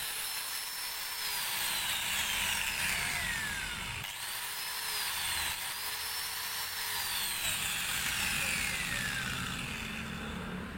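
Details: Maktec MT91A angle grinder after repair for overheating and a growling noise: steady high-pitched motor whine that drops under cutting load and recovers, spinning smoothly with no growl. Normal running.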